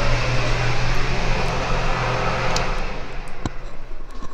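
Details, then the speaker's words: Broan Nutone 60-CFM bathroom exhaust fan upgrade kit replacing a 15-year-old original fan, lapel mic: steady loud rushing whoosh with low hum, winding down; still as loud as the old 3.0-sone fan, no rattle or grind. "it's pretty loud um i'd say it's the same as the old one hence the 3.0 sewn rating on both of them i guess i was hoping for a better result"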